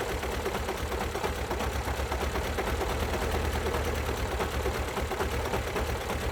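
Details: 2012 Alfa Romeo Giulietta II, 1368 cc 120 PS petrol 940B7000, 164,000 km. Engine running with a fast, uneven patter and a lumpy low beat: two cylinders dead with no compression.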